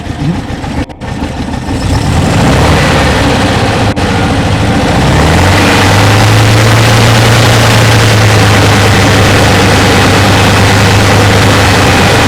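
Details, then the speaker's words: 1968 Porsche 912, 1600 air-cooled flat-four, long off the road, revival: catches and settles into lumpy, uneven pulsing idle with backfires; old carburetors suspected faulty, new ones to be ordered, valves to be checked. "I gotta get new ones put them on because oh wait it's just not right"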